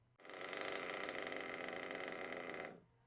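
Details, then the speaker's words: Nitro RC car engine with carburetor idle set a tad too low: thin, rattly small-engine idle holds about two seconds then abruptly cuts out and stalls. "so how a good idol runs so what does that sound like just nice and steady and now low idle so this is just a tad too low"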